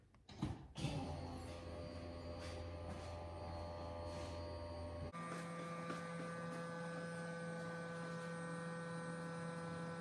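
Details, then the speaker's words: 408 Fox-body with Terminator X ECU, key-on before first start: steady electric hum, one pitch shift, no surging or rattle; fuel pump priming normally while fuel pressure is set to 43 psi. "You'll hear the fuel pump come on, and I'm going to set my fuel pressure."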